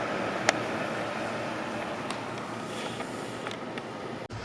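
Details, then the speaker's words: EVGA 750 Bronze power supply in a test bench PC drawing 385 watts from the wall under Heaven benchmark: steady, loud airy whoosh of the PSU fan running flat out with no letup, despite no hot air exhausting. "it's running 385 watts from the wall but the the fan in it is loud as all hell"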